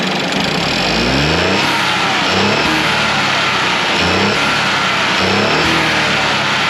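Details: 2015 Ford Focus 1.0L 3-cylinder EcoBoost, after turbo rebuild and coolant flush of washer fluid, warmed to full temperature: quick throttle blips rise and fall cleanly, no turbo whistle or whine; engine shakes, possibly needing a motor mount.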